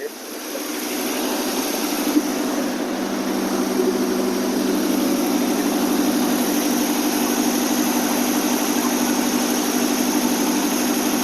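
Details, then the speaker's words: AMC 287 V8 Rambler with carburetor after exhaust manifold leak repair, warming up on fast idle with sprayed penetrant burning off the manifolds; smooth even idle, no puffing or ticking, sounds healthy. "so much better without that exhaust leak burning off a lot of that c that I sprayed the bolts down with"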